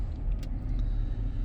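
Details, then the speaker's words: 2008 Volvo XC90 after replacing the worn upper engine torque mount that caused rattling on acceleration: smooth low engine rumble under acceleration with no clunks or rattles, normal running. "oh man it sounds like a new volvo now that's absolutely amazing"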